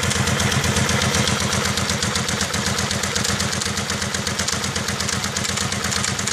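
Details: 2001 Kawasaki Vulcan 750 V-twin on cold start: steady, fast ticking over the lumpy idle exhaust beat; owner unsure whether it is the ACCT (automatic cam chain tensioner).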